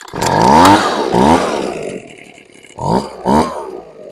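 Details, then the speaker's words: Husqvarna 125B leaf blower during idle mixture tuning after carb work: sharp revs flare and hang, then fall to a weak, fading idle. Idle mixture too lean; richened by a quarter turn. "nope too lean all right I'm going to richen it by a quarter turn"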